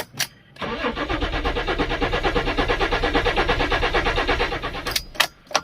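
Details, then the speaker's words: Fiat Stilo Abarth, not run for years, cranked in neutral in rain: starter cranks evenly about three beats a second for four seconds but engine never catches; hard starting, cause unknown. "As you can hear, it has trouble starting again. So let's check underneath. Let's try it again."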